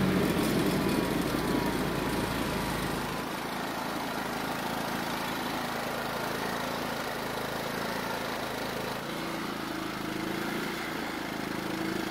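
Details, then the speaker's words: John Deere riding mower single-cylinder engine, carburetor primed, chugging at a steady, slightly uneven idle with no knocks, kept alive only on partial choke; lean carburetor. "so as you just saw after getting it started the carburetor had to be somewhat choked to keep the engine from dying"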